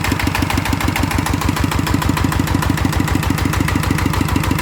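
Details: One of two single-cylinder ET diesels (ET95/ET110) refitted for water pumping: even steady thumping at about 200 beats a minute, no knock or rattle; idles smoothly, judged fine.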